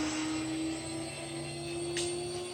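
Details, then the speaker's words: Water-cooled CNC router spindle, with water pump and reservoir, spooling up to 24,000 RPM. A clean, quiet tone climbs smoothly in pitch with no rough or gritty edge. Only slight frame resonance around 18,000 RPM, not a problem. Healthy spindle. "So the spindle's really nice and quiet. It's water cooled. There's a water pump, fluids, and then a reservoir. And you can hear the spindle spooling up. I'm going to take it all the way up to 24,000 RPM."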